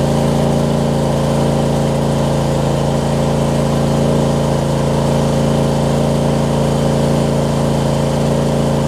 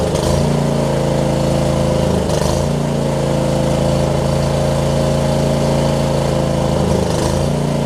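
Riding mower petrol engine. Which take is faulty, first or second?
first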